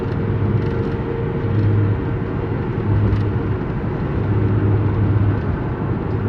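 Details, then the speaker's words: Toyota Tacoma driving on the road: steady low droning hum under road noise in a straight line that gets much quieter when turning right loads the bearing differently; worn front left wheel bearing. "but as soon as you turn to the right it loads the bearing differently and it gets a lot quieter so that means uh wheel bearing at least this front left one"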